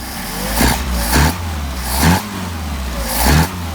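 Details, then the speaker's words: Warm engine on adjusted Solex 44PHH carburetors, linkage set on a turnbuckle: four quick throttle blips rise and fall cleanly with no pops on the overrun. There is no backfire; had there been, the idle mixture screws would be backed out to richen. "then you do like that rub it make sure it doesn't backfire if it does you're going to want to go back your idle mixture screws and back them out a little bit"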